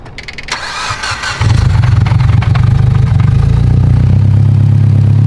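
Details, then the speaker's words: Mitsubishi Evo 10 just after fitting new ungapped Autolite spark plugs: starter whirr, engine catches within a second and settles into a deep, steady, even idle; runs much better, normal start and idle. "She's a freaking ripper. The car runs much better."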